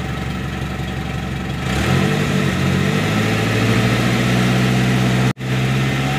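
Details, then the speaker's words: Suzuki Carry Futura fuel-injected: idles, revs rise when throttle opened slowly, but snap throttle makes revs climb unevenly and stumble; hesitation. "Jadi kalau kita ngegasnya pelan-pelan dia masih bisa mau tinggi rpm nya Tapi kalau kita hentak sekaligus gasnya dia tidak konek sama aja tidak berfungsi mesinnya"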